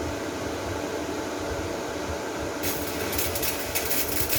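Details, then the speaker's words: Repaired Chinese inverter welder (diode replaced), cooling fan switched off so the relay click is audible: steady electrical hiss, then crackling from about 2.6 s; it works normally and delivers its rated 200 A. "As you can see, the welding machine is working now. It is necessary to turn off the cooling fan to reduce the noise. Now you can hear the click of the relay."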